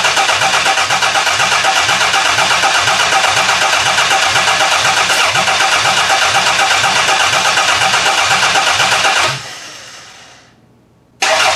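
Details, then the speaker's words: Demolition-derby car engine pulled from a garbage pile, first start attempt: steady rhythmic starter cranking about four beats a second, never catching; test plug shows no spark, water coming out, owner suspects a bad coil pack. "I'm not seeing any spark but that was just a fire which is kind of weird that was kind of weird that it tried to fire there but not showing any Spark"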